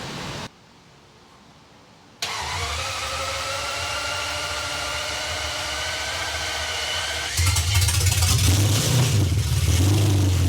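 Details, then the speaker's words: 1991 BMW E31 850i V12 running with no exhaust: short crank, catches cleanly into a loud, steady open-exhaust idle, then a quick rev under 2,000 rpm; no weird ticks, sounds healthy. "that is so loud holy but it runs did it sound no weird ticks or anything"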